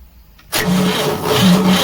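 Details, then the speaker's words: Cement bulker that won't start, before repair: a heavy dragging crank starts abruptly and grinds on without catching as the starter takes load. "Start करेंगे। नहीं हो रहा है, self load ले रहा है। सेल्फ खोल के चेक करते हैं।"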